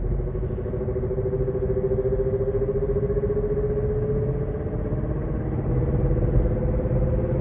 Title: KIA NIRO EV 2023 8.500km strange noises from the drive unit